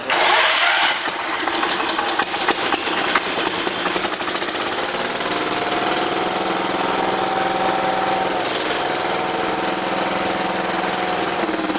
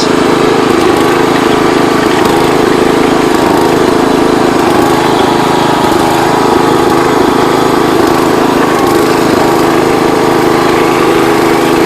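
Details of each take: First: John Deere 210 lawn tractor, first start in over a year after carburetor rebuild and rerouted neutral start wire, jumped with weak battery: cranks and catches, runs with uneven wavering beat; rough running, throttle out of adjustment. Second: John Deere 210 Kohler single-cylinder after throttle fixed and idle/low-speed mixture screws adjusted, high speed not yet set: loud strong drone holding steady speed without surging or sputtering; normal running.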